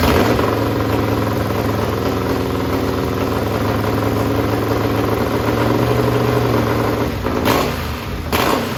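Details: Racing lawn mower running on methanol, cold start aided by carburetor cleaner: loud, even twin-cylinder idle holding steady, then sharp throttle blips that rev cleanly; engine runs strong and healthy.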